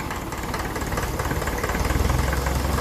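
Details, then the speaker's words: 1954 Ferguson TEF 20 tractor, fully overhauled indirect-injection diesel engine, injection timing advanced after it had been too retarded: low, even rattle at idle firming as it settles; normal indirect-injection diesel knock with correct timing. "so you can hear the little rattling the engine the kind of diesel indirect injection diesel knock I never heard that before you will hear that as you advance the time in a bit"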